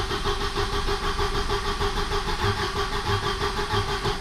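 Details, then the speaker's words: Volvo 740 with the original B230FT engine, 425,000 km and 29 years old, cranked in neutral with plugs out for a compression test: even, steady cranking at about three beats a second; this cylinder reads 150-155, good compression. "okay so we're gonna crank it over it and see where this leads us"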